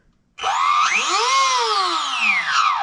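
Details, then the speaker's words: Castle Mamba X ESC and motor in a Tekno MT410 RC truck, which had been cogging, cutting out and losing throttle. With the sensor wire unplugged the motor whine rises, holds and falls smoothly; the motor was later found defective and replaced. "pretty obvious that it's something to do with the sensor wire or the sensor operation"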